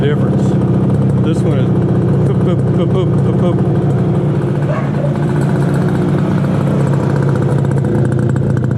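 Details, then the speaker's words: 1968 Yamaha YAS1C 125 two-stroke twin, carbs cleaned: revs and idles unevenly with stumbling beat, won't take throttle with choke off but better with choke on; right cylinder misfiring, owner suspects right carburetor pilot jet. "so you hit the gas and it just won't take it you turn the choke on and it uh is better so my thought is probably carburation uh probably the U pilot jet on this side"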